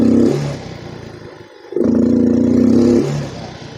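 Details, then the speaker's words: Yamaha Mio M3 125 scooter, injector cleaned, fuel pump and TPS tested normal: at full throttle the revs climb sluggishly, stutter and only reach mid-range before dropping back; hesitation on acceleration. "Jadi, ketika saya menambah kecepatan, menarik pedal gas, suara mesin atau RPM tidak langsung meningkat. Ia ragu-ragu, seperti sedang gagap, teman-teman."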